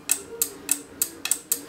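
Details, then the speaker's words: Relays in a JBC soldering station mod switching on a roughly 200 ms timing, giving six sharp dry ticks about three per second as the handpiece touches the stand; clicking is only noise and does not affect operation. "but i want to maybe increase that a bit just so it uh just so it doesn't click so much it's only just for the noise it doesn't really affect the operation of it"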